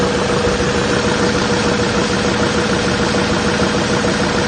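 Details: 2007 Chevy 3500 Silverado 6.6L LMM Duramax diesel, parked at idle: deep, fairly regular knock under the clatter from a spun crankshaft bearing.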